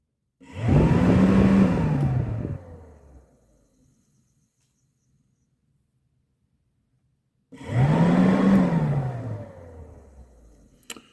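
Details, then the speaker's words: 2004 Suzuki Eiger 400 4x4 electric cooling fan tested by jumper wire from the onboard battery: it spins up with a rising whir, runs a couple of seconds, winds down, then kicks on again; the fan motor works fine. "you guys watch the fan blades back there you'll hear it kick going too ready"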